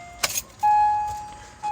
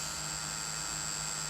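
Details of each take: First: Acura MDX after the faulty buzzing turn signal relay was replaced: an even tick with a chime about once a second, with no buzzing or skipping; the turn signals now work, so the bad relay was the cause. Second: Acura MDX, key on, turn signal selected: no flasher clicks, only a steady high-pitched buzz from behind the dash; hazards flashed briefly then stopped; suspected flasher relay vibrating and not disengaging properly.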